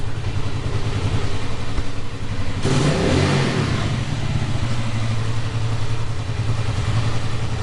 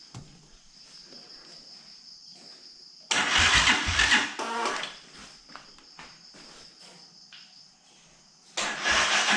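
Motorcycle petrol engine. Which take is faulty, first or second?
second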